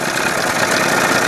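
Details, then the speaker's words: 1981 Evinrude 20 HP outboard, cold, mixture screw about 1.5 turns out, timing just past the second mark: a busy, bumpy "tip, tip" rough idle. The owner thinks it almost sounds like an exhaust leak and won't adjust until it warms up. "I just don't like all that bumpity. You hearing it going tip, tip, tip, tip? Almost sounds like there's a freaking leak, exhaust leak or something."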